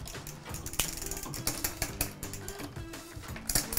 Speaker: Can you hear that one grinding? It's struggling to change gear. So the cable needs loosening.